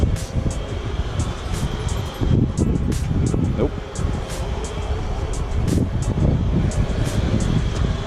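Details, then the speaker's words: Buick Grand National at about 49°F, started with the exhaust crossover pipe split open: loud, raw, unmuffled rumble with sharp popping puffs; power steering fluid that had overflowed the cap went back down to normal. "yep that's what it sounds like with the crossover open and the fluid went back down to normal"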